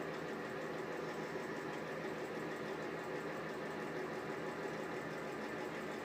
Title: Exhaust fan with bad bearings